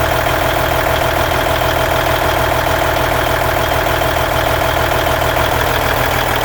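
Loud, steady diesel clatter at idle with an even beat of about 200 a minute; there is a noise, but its cause can't be pinned down.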